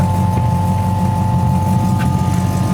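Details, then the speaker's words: 1940 Ford Sedan Deluxe running with an electric fuel pump and pressure regulator: a steady, fairly high, unchanging hum over the low engine rumble is the noisy fuel pump; owner plans to fit a mechanical fuel pump. "can still hear that humming noise. That's the damn fuel pump. We're gonna fix that."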